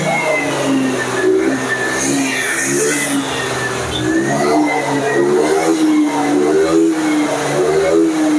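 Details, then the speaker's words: Carbureted Honda Vario scooter (early generation, KPB code) that came in dead, revved after repair work: revs up and eases back in smooth swells with no misses or knocks; normal revving. "Ini aman, Pak. Enggak putus. Ini aman. Tuh di blayer-blayer aman."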